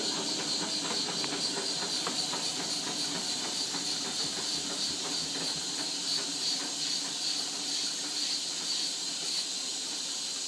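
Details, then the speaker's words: Bendix 7128 washing machine on a non-colourfast cotton/linen 40 wash: constant high-pitched hiss over tumbling. The owner suspects a loose solenoid (possibly the door seal); not confirmed. "that sounds like a solenoid to me might be because it's loose"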